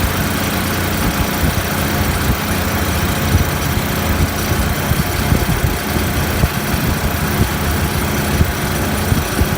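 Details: Refrigeration compressor after condenser coil leak repair, steady heavy low hum with rough buzzing vibration at constant speed; net oil pressure about 20 psi versus usual 30–40, headmaster not bypassing condenser suspected, cause not confirmed.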